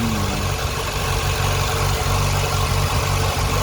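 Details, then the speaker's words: 2000 Ford Fiesta MK4, 1.3L 60hp Endura, with unstable idle; the MAP/intake-temperature sensor was replaced with no change. With the throttle position sensor unplugged, idle is low and mostly even, not so bad, with slight unevenness and no hunting. "avec là le ralenti, il est pas si mauvais que ça donc il doit il doit faire l'effet."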